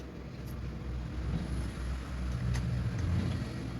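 A low, fairly even motor rumble that swells slightly and then holds steady, with no grinding or clunks; the mixer motor runs normally.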